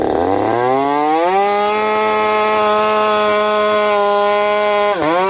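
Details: Husqvarna 372XP chainsaw fitted with a new bolt-on UFO pipe, warmed up at about -30 to -40 °C, cutting frozen ash: high steady two-stroke scream holding speed in the cut, slight burble; healthy four-stroking, just on the rich side.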